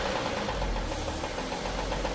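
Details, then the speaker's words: Warm engine at idle, about 700 rpm, after oil pressure to the last journal was restored: regular hollow knock with the idle beat from cylinder five or six, suggesting worn bottom-end bearing; suspected, not confirmed. "Всё, мотор по сути прогретый. И где-то идёт штук либо шестой, либо пятый."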